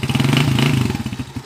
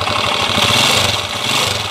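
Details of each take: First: TMX155 single-cylinder motorcycle on a road test after repair (piston rings, valve seal, knuckle bearing, battery replaced; it was said to kick back before): crisp, even firing pulses that slow smoothly off throttle, running very smooth. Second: Second TMX155 single-cylinder engine, which previously ran with cricket-like and clacker-like noises: an idle with rattly, chattering clatter over the exhaust beat, described as mixed noises.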